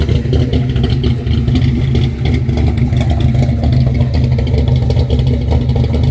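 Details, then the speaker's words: 1963 Impala with 468 V8 that kept cutting out, now running after removing restrictive paper breather filter elements: big-cam choppy, uneven lope with deep exhaust rumble, strong and healthy; normal lopey idle. "i mean how that sounds a lot better i'll let you hear it"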